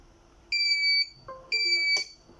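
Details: Birch CPQ3 receipt printer: long high-pitched beeps with the arrow light blinking, not a paper error; printer cannot cut because the cutter blade is stuck inside and bent; cutter jam alarm.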